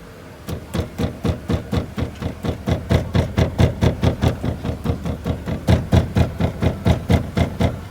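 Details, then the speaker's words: Mercedes A-Class 160/190 W168 driving with door window half open: hollow knocks about twice a second, uneven, door glass rattling; stops with window fully open or fully closed; door rattle with window half open. "Esse barulho para com o vidro totalmente aberto ou com o vidro totalmente fechado. Meio aberto, ó."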